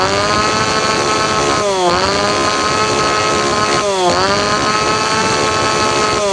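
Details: Tanaka PowerMate PMS340 two-stroke pruning saw, cold engine, after fuel delivery system repair (previously would not rev up); snaps up from idle in repeated blips every couple of seconds, dropping back cleanly.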